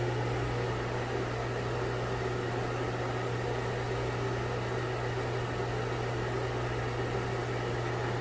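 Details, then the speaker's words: Broan Heat-a-Vent bathroom exhaust fan/heater (70 CFM, 4 sones, no light; heater not working), with impeller and shaded-pole motor: constant low mains buzz under a soft even airy rush. Runs normally, just buzzy. "It's kind of a buzzy fan. It's got the impeller and the shaded pole motor."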